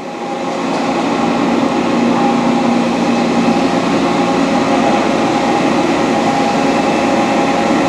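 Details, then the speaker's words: Dainichi Model H large lathe with DC drive, power feed on, taking a light cut not loading the spindle; steady even hum with no gear grinding, knocks or chatter, running smoothly. "gears are not grinding in really good conditions very low our machine we're just taking a little cut it's not even loading the spindle at all"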